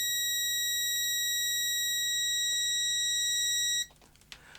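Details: Parkside DM300 C3 autoranging multimeter on continuity test with the leads shorted: a steady, unbroken high-pitched tone for nearly four seconds that cuts off cleanly. The continuity buzzer works properly.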